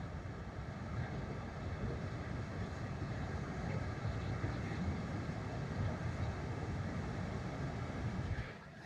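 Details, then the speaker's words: 12V rooftop RV air conditioner with soft start, running on a Renogy 300Ah LiFePO4 battery, mic held up to the unit: soft, steady low rush of air with no rattles, ticks or hum changes, fading near the end; quiet, normal running. "Now, remember this has a soft start on it. So, it's going to start blowing. Like right now, it's already blowing. You guys can't feel it. Maybe you can hear it. I doubt if you can even hear it. It's so quiet."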